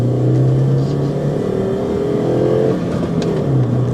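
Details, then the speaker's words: Mini Cooper bought cheap at auction, driven home: engine note climbs smoothly through the revs under acceleration with road noise, no knocks, bangs or misfires; pulls cleanly, healthy engine. "Not bad at all. No knocks and bangs, nothing."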